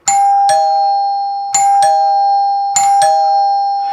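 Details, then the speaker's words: 1955 NuTone K14 recessed 2-note door chime, reassembled with resonating tubes, on 16 V supply and unlit button wired for front door: clear high ding then lower dong, three times, louder, cheery and healthy. "and you can hear how much louder it is once it's all being reassembled because the resonating tubes are what amplifies the sound and has a nice cheery ding-dong sound"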